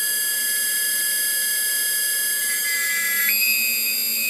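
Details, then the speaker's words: Original 1500 W spindle on a 6040 CNC with the China controller, noisy since new: loud high-pitched whine with shrill tones stepping up with speed; owner suspects bad bearings, to be replaced with a 2200 W spindle and VFD. "that that sounds horrible so I feel there's bad bearings in here"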